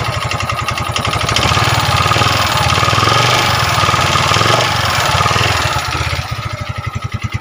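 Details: Yamaha Mio 125 scooter just after engine rebuild with new cylinder block and piston, still smoking and burning oil: loud harsh running with rattly clatter over the exhaust as it revs; a common fault on this type, cause unconfirmed.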